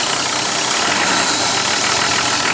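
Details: 1984 Toyota Land Cruiser HJ47 with 2H diesel, first running after 19 years parked, injectors bled, glow system previously bypassed: steady diesel clatter at an even idle with no misses or surging. Running cleanly.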